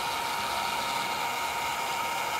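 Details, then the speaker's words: Longer Ray5 20W laser module cooling fan with a custom duct: steady small-fan whir with a fine buzzing rattle because the fan is not bolted down. "and we can see there's a rattle is because the Fan's not bolted down"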